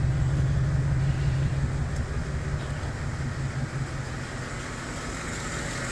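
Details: 2008 GMC Sierra 5.3L V8 misfiring on cylinders 1, 4, 6 and 7. Low, lumpy idle with an uneven thump and no knock: collapsed AFM lifters hold the valves shut, with white smoke and warning lights. Fix is both heads off, AFM delete with original-style lifters, and a tune.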